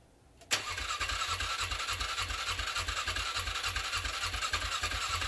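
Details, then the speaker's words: 2007 Polaris Scrambler, first start after sitting 4+ years with carb just rebuilt: even starter churning about three and a half beats a second, no firing; strong battery and spark suspected, seems not getting fuel. "So it sounds like it's not getting fuel. Battery strong. Sounds like there's spark."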